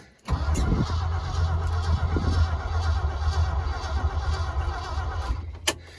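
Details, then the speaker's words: 1971 Ford F-250 four-wheel-drive boom truck, cold start in below-zero Alaskan weather: starter churns for several seconds without catching, slowing toward the end; battery suspected weak, not confirmed. "see what she does at least the cranks over pretty fast it's amazing how that'll happen when it's not negative 55."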